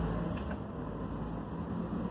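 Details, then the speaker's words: 2015 Chevrolet Prisma 1.0 8-valve, oil recently changed; light quick tapping over idle like lifter noise, actually from the canister purge valve behind the intake manifold, to be replaced with a new original part. "realmente começou a fazer barulho na parte de cima o tec tec tex parecendo barulho de bucho só que não o barulho estava vindo da parte de trás aqui do coletor de admissão"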